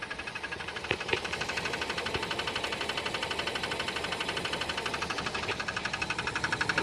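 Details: Jeep Cherokee 4.0: light, regular ticking knock at idle, about four per second, suspected lifters, piston skirt or valve, finally traced to a circular crack in the flexplate.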